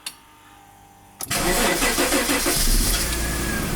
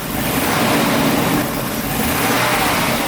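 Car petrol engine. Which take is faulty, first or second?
first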